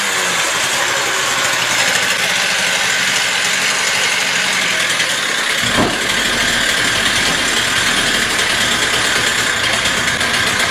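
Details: Stihl TS350 cut-off saw after engine rebuild and idle screw adjustment, air cleaner and filter not yet fitted; loud buzzy two-stroke howls at high revs with a brief sag as the throttle opens, slight bog; carburetor further adjustment deferred.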